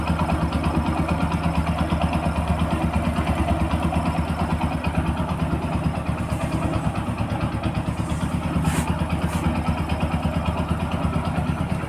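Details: Motorcycle after timing chain replacement for a chain noise problem, first start on completion: steady even idle with regular low thump, no chain rattle or ticking: normal idle.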